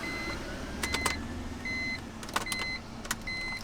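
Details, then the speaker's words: 2002 BMW E46 M3 after its starter overheated: repeating dash chime and a few faint clicks on each key try, no cranking. Owner suspects the starter is fried, not confirmed. "I think I fried the starter completely it is there it is"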